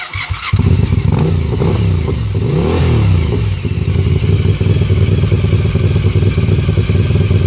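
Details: Suzuki TL1000R V-twin motorcycle starting and revving, with a sharp puffing clatter riding on the deep lumpy exhaust note from a bad exhaust leak.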